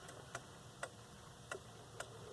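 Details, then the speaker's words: Leick pendulum quartz clock with Tochigi Tokei movement, decorative pendulum: soft, crisp, evenly spaced ticks about twice a second in a quiet room; normal ticking. "but these are typical modern clocks they make no noise whatsoever however this one makes a ticking noise"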